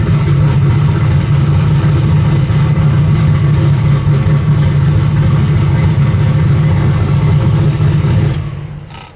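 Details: Turbo Nova after new valve stem seals, start timing pulling six degrees instead of 20, temperature about 170: strong smooth low rumble held steady at raised revs without misfires or pops, then clean shutdown; normal revving.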